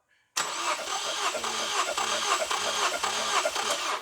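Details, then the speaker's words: 2009 Ford Focus with a misfire under load, compression tester in a spark plug hole, engine cranked 5–6 times: an even cranking beat of about two turns a second with no skips; normal compression (175 reading), plugs suspected. "With the gauge in place, we'll turn it over about 5 to 6 times and see what reading we get on each cylinder."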